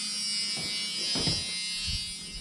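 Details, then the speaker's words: LQ9 LS-swapped squarebody C10/C15 truck with open headers, key on and engine not running, after swapping the ignition wires: short electric whirring bursts as the pedal is pressed, the throttle body opening and closing normally. "i press the pedal it should you should hear it moving in here"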